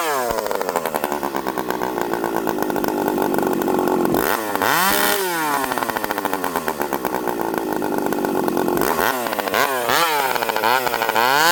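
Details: Stihl 064 two-stroke chainsaw, clip from an earlier run. After full throttle it drops slowly to idle with a wavering warble: slow return suggests lean, yet it sometimes stalls as if rich. Spark plug colour is brown; the cause is not confirmed.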